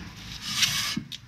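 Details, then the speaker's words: Honda Accord rear left wheel that ran hot and dragged, turned by hand with the brake being dismantled: light dry scraping, a brief soft rub; just normal drum handbrake contact, wheel turns freely. "ja ganz normal ein ganz normales bereit geräusch von der handbremse"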